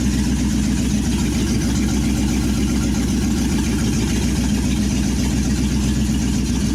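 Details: Second-ever firing of a 1963 Chevy C10's 355ci V8 (350 bored .030), Turbo 350, sat many years, reportedly low miles; temp gauge not working but coolant moving: loud, even, slightly lumpy open-exhaust idle, no knocks or misses. Normal idle.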